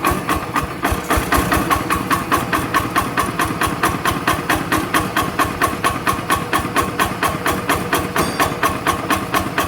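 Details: Yanmar TF85 LM single-cylinder diesel with original rings; the owner says it burns no oil, with slight exhaust smoke. Steady, even slow idle at about two beats a second with no knock or miss: normal running.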